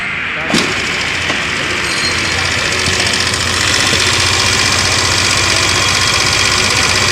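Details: TVS Scooty Pep+ after fixing starting problem (kinked petrol hose replaced, spark plug replaced, test battery fitted; clutch roller kit changed): starter whirr, catches within a second, settles to steady even idle with no misses; healthy start.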